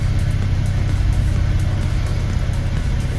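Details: BMW E90 petrol on cold start with the engine fault light on: deep, uneven idle that pulses and stumbles, alongside loss of power and higher fuel consumption; cause was sticky, clogged VANOS solenoids, after swapping coils and plugs.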